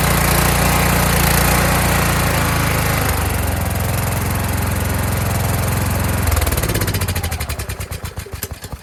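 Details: Kohler Courage engine on a tractor, after a donor-motor carburetor swap whose choke springs back by itself; winter, engine cover off. Runs strong and fairly even with only a faint rise and fall, then cuts off and coasts down; running well.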